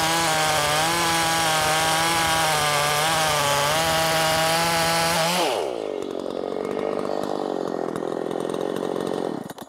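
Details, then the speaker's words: Makita 5600 (Dolmar-built) chainsaw, sharp chain, tuned slightly rich (13,200 rpm free): high revs drop sharply entering wood, then hold a strong steady note; in-cut revs up to 11,000s, mostly about 10,300-10,600; healthy. "it was kind of all over the place um I saw it as high as into the 11 thousands but mostly it stayed around 10-3"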